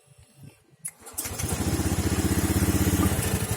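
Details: Fuel-injected Honda Scoopy (2018 or 2019), after sputtering and stalling when warm were traced to the fuel pump filter: catches after a couple of cranks and settles into an even putter of about four beats a second, fuel pressure about 4.2–4.3 psi; normal start and idle.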